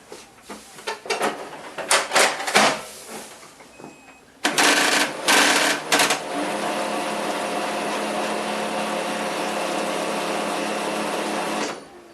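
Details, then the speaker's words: HP LaserJet 4015n printer, heard from the rear while starting: irregular clattering bursts, loud rumble, then a steady even hum once the fuser is pressed; fuser has play in its retaining clips and jumps against intact drive gears. "vamos a checar por qué hace eso la estamos viendo por la parte de atrás vamos a a iniciar la impresora para que escuchemos el zumbido que tiene que es muy fuerte"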